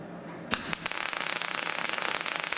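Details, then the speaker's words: Test MIG weld on a fabricated sill after raising the wire speed and power setting from two to three: a few sharp strikes, then a steady, crisp, fast crackle like frying bacon; correctly set MIG weld. "setting much better yeah so this one was a little bit slow that one's quite nice"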